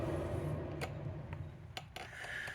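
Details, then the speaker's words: Jon boat trailer wheel spun by hand before service: low, rough rumble with a few scattered sharp clicks from worn wheel bearings; after new bearings, races and seal it spins quiet. "that's what bad bearings sound like"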